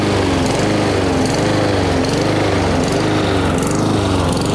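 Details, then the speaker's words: Honda-engined lawn mower before repair: engine hunts, revving up and down about once a second without settling; lean surge from lack of fuel due to restricted carburetor jet. "so you just heard that annoying sound of the engine revving up and down what's causing that is a lack of fuel to the engine so it's a carburetor issue"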